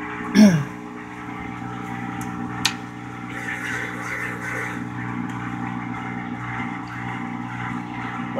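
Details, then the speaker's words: Whirlpool washer in diagnostic test mode: before the low-speed spin test it flashes because water is still in the tub, so the drain pump runs to empty it with a steady, even low hum, no grinding or rattle; normal drain pump operation. "okay well apparently it's a flashing at me so there must be still some water in the tub there so we'll go back and drain some water"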